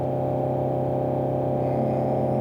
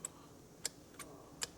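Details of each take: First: 2016 Mercedes-Benz E-Class W213, 654 diesel engine, 3,900 km, late shifting and check-engine light; after replacing turbocharger with seized, squeaking guide vanes, even diesel revving, no whistle, flutter or surge; boost now meets target values. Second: Removed turbocharger from a Mercedes E-Class with shifting problems, guide vanes worked by hand: five sharp, bright chirps as the stiff, binding variable guide vanes squeak; this wrecked the actuator, and the turbo, which also has excess impeller play, is to be replaced.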